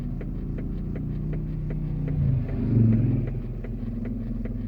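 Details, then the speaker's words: 2004 Chevrolet Tahoe with engine running: light steady knocking about three times a second inside the cabin, seemingly from the center console area; goes away in park; cause unknown. "What is that noise? Sounds like it's coming from down in here in the center console."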